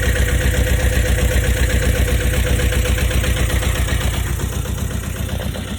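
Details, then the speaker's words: Boat diesel engine first run in over four years after oil pressure switch replacement: quick, regular clatter at a raised, steady speed above normal tick-over before being brought down; fast idle. "that's not the tick over now bring it [Music] down I think he need just crank it up a fraction to take [Music] over"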